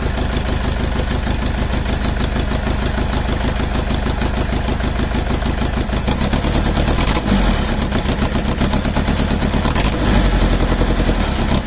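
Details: Mercedes OM611 diesel on standalone factory Bosch ECU, second start: uneven lumpy clatter about three beats a second with stumbles in rhythm; misfire from one bad injector.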